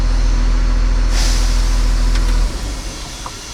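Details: Machine that often failed to crank at the key, after the start relay was replaced and the neutral and safety relays were cleaned; the diesel runs smooth and steady with an air hiss partway, then shuts down cleanly, with nothing abnormal.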